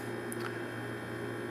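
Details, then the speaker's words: GE refrigerator not cooling while freezer works: steady low electrical hum with faint tone, no fan airflow; evaporator fan motor gets 117 volts but won't run, failed, to be replaced. "it's not uh it seems pretty good but nevertheless it won't run so I'm going to have to replace this fan"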